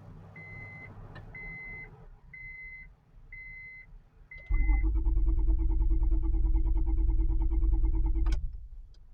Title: Ol Bessie won't start with or w/o a jump